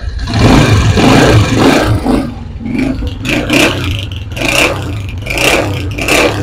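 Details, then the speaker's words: Honda CG125 single-cylinder engine after tappet adjustment: even, smooth rev blips with no tappet ticking, after earlier loud engine noise. "आप देख सकते हैं कितनी smoothly भाई की सेटिंग हो चुकी है"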